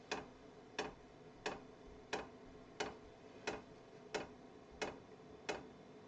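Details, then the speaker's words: Kroak TB2 12 V diesel heater in a case during first startup with an air-filled fuel line: fuel dosing pump giving sharp, even ticks about ninety a minute over quiet background, normal clicking. "the pump is clearly audible. So I can hear it well."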